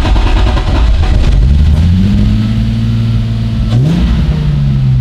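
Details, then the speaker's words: BMW E30 M3 Touring, no radiator fitted: engine catches on brake cleaner/starter spray sprayed into the airbox, revs up and down and is slow to settle to a high idle; only runs on starter spray. "Ich habe jetzt die ganze Zeit hier immer Bremsenreiniger, Startspray, irgendwelche Reiniger. Die sprühe ich nämlich einfach ein bisschen in den Luftfilterkasten."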